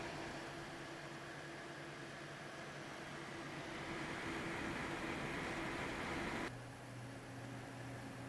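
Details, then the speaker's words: Zotac AMP Extreme GTX 980 Ti, reportedly crashing in games, fans under benchmark load after thermal paste change: steady airy whoosh and soft hum, no rattle; fans about 320 RPM slower, core and hotspot 11°C cooler; normal fan noise. "this is while the fans are running quieter as well they're running at about 320 RPM less so it's running"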